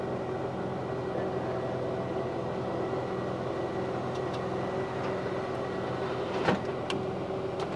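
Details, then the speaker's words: Rover 216 convertible with engine idling, raising the hood frame without an outer hood: steady even roof motor hum over quiet idle, no straining, grinding or clicks; the roof drive works normally. "Let's push the button. Up comes the roof. Even though it hasn't got an outer hood on it."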